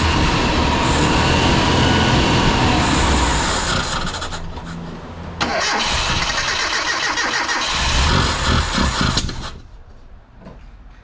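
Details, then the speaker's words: Mitsubishi Sigma with newly fitted 32/36 Weber replacing a dead Mikuni carburettor: starter churns about three times a second, engine catches, stumbles unevenly and fades; water still running through the intake manifold, lean fuel mix suspected. "So it seems that water is still running through the intake manifold."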